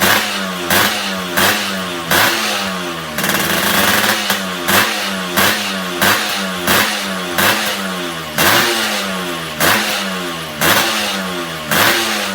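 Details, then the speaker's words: Suzuki Satria 2-stroke (Lumba) mid-restoration, about 70% done, engine newly revived with stock exhaust fitted: repeated blips, revs rising and falling cleanly with no misfire or knock. Runs smooth and healthy. "Knalpot juga udah terpasang, udah kedengeran suara mesinnya udah halus."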